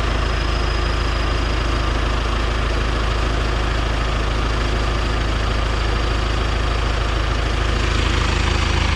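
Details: John Deere stationary engine driving a strawberry-field irrigation pump, after an emergency clutch replacement. Deep, even diesel thrum with a steady pulse around 200 a minute, no knocks or misses; the engine runs normally under pump load.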